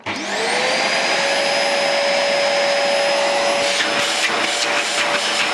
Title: Dyson dc 40 strange noises